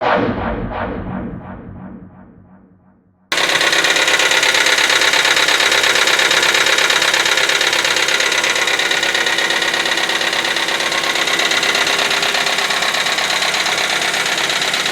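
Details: Hyundai Accent engine at idle: after a short musical intro, a fast, even metallic ticking rides over the idle, top-end clatter from the hydraulic lifters.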